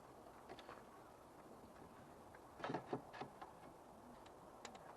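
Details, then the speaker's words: Injector from a long-abandoned Alpine Renault V6 Turbo PRV engine, bench-pulsed from a battery. A handful of sharp, dry clicks in a quiet room as it snaps open each pulse; normal injector click. "hört es sich an, als ob der Injektor normal funktioniert ."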